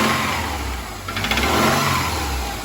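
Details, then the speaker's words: 2005 Subaru Outback boxer engine revving with a rough, uneven knock: rod knock, the reason the engine is being pulled and replaced. "So the reason we're actually taking this engine out is because it has a rod knock."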